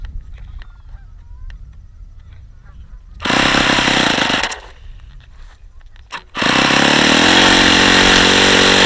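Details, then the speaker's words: Vintage Saito FA-45 model airplane engine, ringless with two-piece head, circa 1983, well worn, on a test stand with a lightweight prop: bursts to a high buzzing whine with a rough, gravelly edge; badly worn crankshaft bearings. "yeah the bearings are really really bad on this engine really bad you can hear how bad those bearings are this engine is not in great shape"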